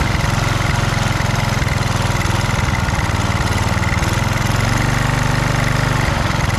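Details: Husqvarna HU 625HWT four-stroke string trimmer, a non-runner, started after priming with the air cleaner refitted: putters along at a steady low pitch with no knocks, rattles or scraping; sounds healthy.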